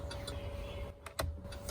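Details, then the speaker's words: 2010 Chevy Avalanche: quick, light flasher clicking, faster than normal on one side; front lights blink but rear bulbs on that side are out from a lost ground, causing turn signal hyperflash. "most of the time the problem is first notice like this one of the turn signal indicators blinks fast"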